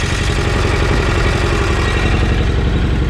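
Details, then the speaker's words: Mower with a small twin engine that ran fine a week earlier: busy clattering tick over a rough, lumpy idle; loud valve noise, slightly down on power; owner hopes the valves are just out of adjustment. "There is some terrible valve noise going on in there. I don't know what it is, but basically it's kind of... It's a little bit down on power, but not really, but obviously it still starts up and runs."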